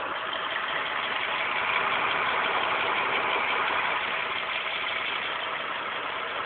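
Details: 2006 Mitsubishi Eclipse GT petrol engine at idle: light quick ticking about three times a second over a thin hissy hum; cause unknown.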